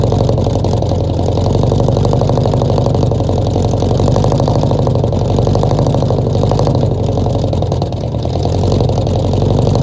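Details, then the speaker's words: 1966 Ford F100 V8, first start in 17 years, fed fuel by bottle into carburetor, no coolant: loud, lumpy running with uneven beat, stumbling as if one cylinder not firing; definite misfire. "But she almost tried to idle. She got a definite miss."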